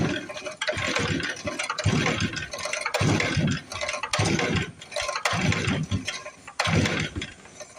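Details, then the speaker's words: 1955 Briggs & Stratton model 6 (Sears), new plug swapped back to old Champion plug: uneven pull-cord bursts about once a second, single weak pop, no catch; owner doubts enough spark. "It sounds like it just popped. Try to hand choke it maybe. I hope we got enough here, guys. I just don't know if we got enough spark."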